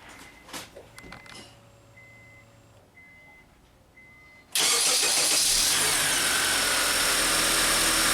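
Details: 2004 Honda Accord EX 2.4L four-cylinder after alternator and serpentine belt replacement for a battery light: soft chimes in a quiet cabin, then it catches at once into a steady, even idle, charging at 14.1-14.2 V with the battery light out; normal start.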